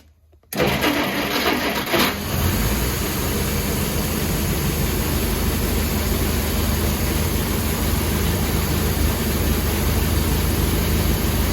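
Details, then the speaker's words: 1953 Kaiser Dragon Super Six, sat about 30 years; catches and settles into a rough, uneven idle with a faint knock that seems to be starting to go away. "I don't know, was the knock starting to go away? Mm-hmm. Oh, good."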